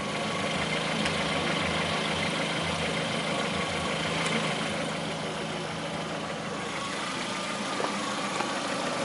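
A steady idle with a faint tapping of about three per second riding on it; a knock at idle, cause not yet pinned down.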